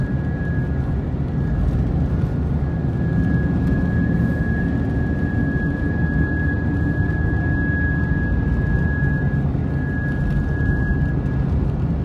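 Steady low drone under road noise, even throughout with no knocks or rhythm; a constant hum while driving, source not pinned down.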